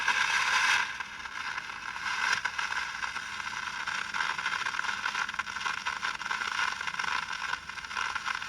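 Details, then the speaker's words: 1960 Olympic AM/FM tube tuner: loud, irregular frying crackle over everything; suspected silver mica disease in an IF can, a tube also weak; cause not confirmed. "[Applause] that really sounds like bad silver Mica disease"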